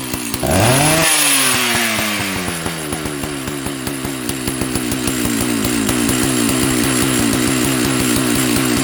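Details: Jonsered 930 project chainsaw restarted with covers on and bar oil added: catches on the pull, flares, then settles into a steady, even high-idle burble with no misfire or hesitation; running normally.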